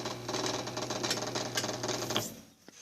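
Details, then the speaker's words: Brastemp Ative 11 kg washing machine: steady low mains hum with fast buzzy rattle, then cuts out; motor hums but does not turn; not a bearing, the control board is suspected of not supplying full voltage to the motor. "quando você ouvir esse barulho estranho no motor não é rolamento ele ficar roncando mas não gira certo pessoal é porque não está alimentando direito"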